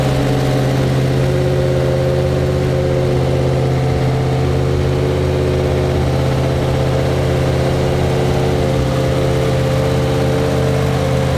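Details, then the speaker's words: Freshly built mild 340 V8 with a Holley carburetor and electric water pump: a smooth, even low idle with a steady deep burble and no ticks or knocks. Healthy idle. "I'm not gonna make a fool pool because I made a few tests on this one so I'm just gonna start it so you guys can hear the idol there it is"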